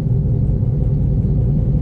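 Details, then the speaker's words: Toyota Vios taxi on a road test: steady, deep droning roar like grinding metal or a mixer, felt through the floor, constant throughout; worn wheel bearing noise while driving. "Ano itong taxi kasi parang Nagoya ng bakal parang mixer ah siguraduhin natin kung saan yung maingay dito dama pa nga sa floring eh"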